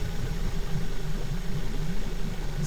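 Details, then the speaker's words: Suzuki DF70A four-stroke outboard after coil pack repair fixing a misfire: even, steady low idle with no skips, every cylinder firing cleanly; running smooth. "pretty good. No more misfire, idling smooth."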